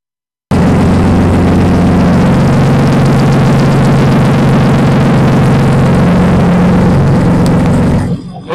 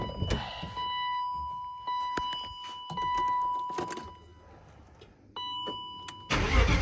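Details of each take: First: BMW 318i engine swap, first start with no exhaust fitted after swapping fuel lines: deep, raw, very loud steady roar with harsh crackle, revs jumping up unexpectedly; loud running with no exhaust fitted. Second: BMW E36 318i swapped from four-cylinder to M50 engine, start with unfinished exhaust lacking hangers: cranks briefly and catches right away, then idles loud and uneven through the open exhaust with no knock, warning chime beeping; normal start.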